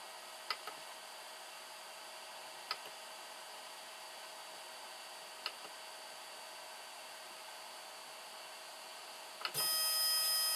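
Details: 3D-printer/CNC axis running smoothly after swapping the stepper motor: soft steady stepper hum, faint clicks every few seconds, then a louder whine. The noise first blamed on the linear bearings came from the stepper, not the bearings.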